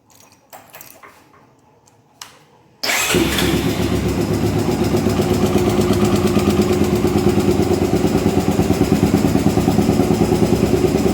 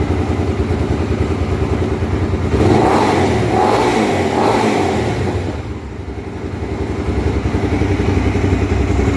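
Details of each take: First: Honda Twister 250 motorcycle single at idle: steady tapping about three per second from the top end, which fits loose cylinder head bolts; cam chain and tensioner suspected. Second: Honda Twister 250, first start after repair of a top-end noise (cylinder head off, threads cut for two bolts): idles evenly, then blipped up and back down twice; clean, steady running with no ticking from the top end.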